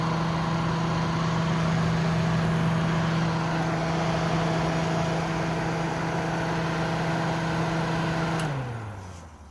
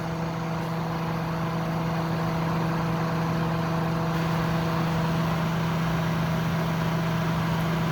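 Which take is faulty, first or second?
second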